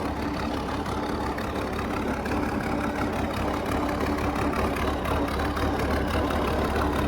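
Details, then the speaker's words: International 1468 tractor without its V8, idling after a field drive: steady, even diesel idle with a low, constant clatter and no knocks or misses. The injector pump sounds happy; the owner suspects a governor ring may be going. Normal idle. "Honestly, runs out. Fine. Um injector pump sounds happy."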